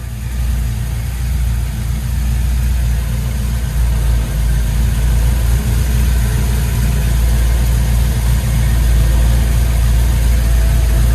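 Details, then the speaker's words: Chevy C10 with LS V8 swap, first fire on new full exhaust, tailpipes not yet fitted, running a little rich: deep steady burble, even beat, no misses or ticks; smooth healthy idle, some drone. "let's see what she sounds like oh my god it sounds beautiful it honestly sounds perfect oh my god that drone will get better once i bring the tailpipes out back here oh brother i can actually listen to the engine now like a sewing machine"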